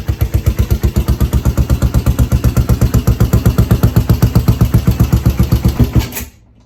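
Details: Yamaha SR500 single-cylinder, totally overhauled as an XT500/SR500 scrambler, first start after rebuild: strong even thumping at about four beats a second, steady then shut off; running cleanly.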